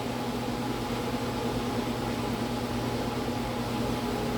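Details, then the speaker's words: Blower motor on bench test, orange wire (maybe medium/medium-high speed): steady low hum and smooth air rush, lots of wind, no rubbing, ticking or bearing growl; runs cleanly. "It's actually not turning that fast. It's just a bunch of wind."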